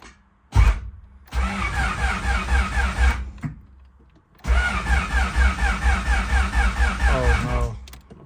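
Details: Turbo B16 Honda Civic, fully built: two long cranking bursts, starter chugging steadily about two beats per second, engine never catches. Crank, no start.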